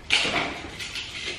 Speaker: you my love wiggled my back wheel and there was quite a bit of play and you can hear it knocking